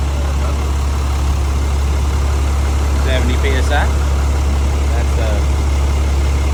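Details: 2008 Cummins diesel, first startup with a fresh engine after major failure, oil primed before connecting injectors: fires right up into a steady, deep, even diesel idle clatter with no knocks, misses or surging.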